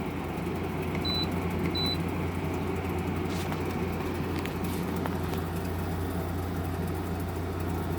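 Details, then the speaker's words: GE 5,050 BTU window air conditioner on medium fan, compressor just switched on, sitting behind three grates: two beeps, then a quiet steady low hum with faint fan rush and no rattle; now blowing cold. Normal. "compressor is on now. It's very quiet. If I bring it over here, you should be able to hear it now. You can't see it, but the compressor's behind those 3 grates."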